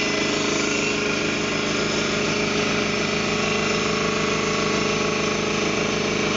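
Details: Ingersoll Rand T30 2475 upright air compressor, 7.5 hp, 80-gallon tank, set at 175 psi: constant, even pumping drone with no hissing or knocking; no air leaks, runs clean and healthy.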